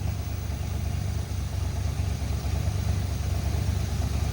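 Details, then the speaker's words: 1986 Dodge Diplomat police car parked 25 years, after adjustment restored engagement: steady, even low rumble at idle with no misses, shake or stumble, earlier jitter calmed; idling smoothly and healthy. "that thing idles so smooth wow that was yeah that fixed the car look at that it it's not even like shaking or anything that's so smooth"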